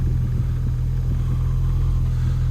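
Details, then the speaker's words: Project car running again after about two months, with refitted exhaust, a PVC intake and a reconnected O2 sensor: a low, even exhaust rumble at steady idle with no ticking or popping. It runs well. "so yeah my pvc uh intake is working pretty good and so is the uh O2 sensor by the sounds of it"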